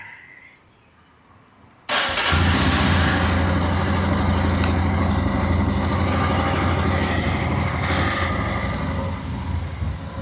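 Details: Three-year-old vehicle with 22,200 km, after full wash and detail: quiet background, then the engine catches at once and settles into an even, steady idle with no knocks or misses; healthy.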